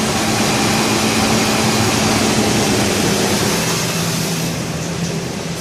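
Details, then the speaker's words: 2003 Ford Ranger 3.0L V6 after a homemade high-flow air filter conversion, which makes more intake sound than a stock filter. A steady, smooth idle with no misses or knocks, settling down as the computer takes over: a normal idle. "you would never hear that kind of sound on a regular filter so yep everything's grunning pretty smooth"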